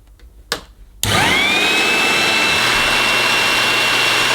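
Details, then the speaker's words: 1980s mains-powered Goblin Roto hand-held vacuum: steady high motor whine with rushing airflow, sounding okay, while a burning smell comes off it. Owner thinks it is the motor, not the belt. Burning smell while running. "oh dear that stinks are burning oh crikey oh no I don't think I don't think that's belt no I don't think that's burning rubber I think that's burning motor"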